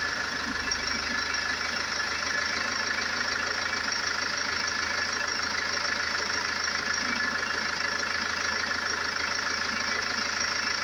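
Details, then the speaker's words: Range Rover Evoque 2.2 diesel, 78,704 on the clock, idling: even steady clatter, no misses, knocks or hunting; sound healthy engine. "As you can hear, it's sweet as a nut."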